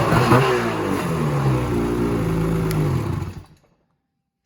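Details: 2016 Ski-Doo Freeride 800 E-TEC two-stroke sled that bogged off idle and wouldn't rev over 1200 rpm, after throttle cable free play adjustment: picks up cleanly off idle, rising and falling smoothly through blips with no bog, then shuts off; normal revving.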